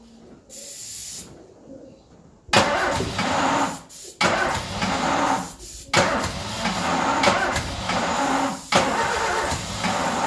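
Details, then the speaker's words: Ford Escort revived after 14 years neglected runs on starting spray: uneven surges that dip and pick back up; rough running because no fuel is reaching it. Definitely not happy, running bad. "But she is definitely not happy. My God, that is running bad."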